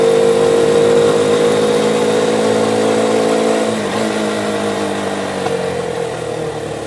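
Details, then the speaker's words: Motocarro (cargo motor-tricycle) with a small single-cylinder after a spark-fault repair: steady, even engine note with no misses, pulling well and no longer stalling; a tinny rattle traced to a loose exhaust joint needs its nuts tightened. "Okay, quedó perfectamente bien. Jala muy bien, anda muy bien, pero escucho un sonido de lata por aquí."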